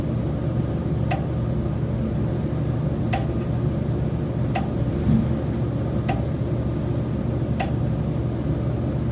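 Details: Chicago rental condo, noise from common-element building systems continuing about 3.5 months into the lease: sharp single knocks every one to two seconds over a constant low hum. Intermittent mechanical knocking, unrepaired.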